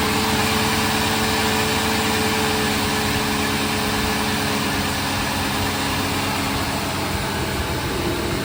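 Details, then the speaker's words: 2000 Ford F150 5.4 Triton V8 just after new spark plugs and coil packs: steady, smooth low hum at idle with no miss or stumble; running cleanly. "Sounds like we're running pretty good. Let's have a listen up under here."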